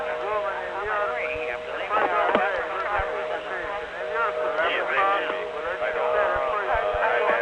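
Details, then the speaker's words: 1976-1981 analog phone network tape: steady line tones with a jumble of faint overlapping voices underneath, called party heard as one in a crowd; crosstalk, possibly from a failed channel unit (digital-analog interface), cause unconfirmed. "you call somebody and their voice is there and they can hear you really well but you hear them as just one in a crowd"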